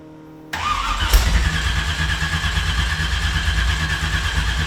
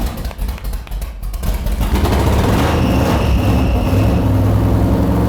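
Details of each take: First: 375 hp V8 swapped Mazda RX-7, long-stored, cranked with spare battery and booster pack, no throttle: steady low starter churning, never catches; spark plugs found badly fouled, preventing starting. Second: RX-7 set up with a small-block Chevy V8 on a brand-new out-of-box carburetor, idle screws and timing not yet set: cranks, catches after a couple of seconds and settles into a deep, steady, even idle with no misses; runs healthy.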